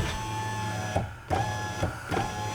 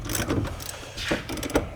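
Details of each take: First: 2011 Mazda CX-9 window with the door switch plugged back in: a short even motor whir over a few strokes with clean stops at each end and no grinding or clicking; the window runs properly. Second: 2011 Mazda CX-9 power window motor: irregular bursts of ratcheting clicks and grinding as the gear, probably stripped, skips instead of driving the window.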